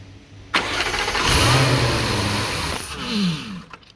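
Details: 2015 Jaguar F-Type engine, 72k miles, after hydrolock repair with new starter, plugs and air filters: cranks and catches with a brief rev, holds about two seconds, then sags and dies; stalls with mass airflow sensor unplugged.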